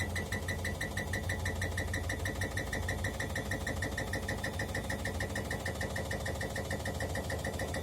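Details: Bosch Maxx 5 washing machine on spin: steady heavy knock, about three per second, over a deep rumbling drone with heavy shaking. Some parts are already replaced; a spring or the bearing is suspected, though the bearing does not whistle. Cause unconfirmed.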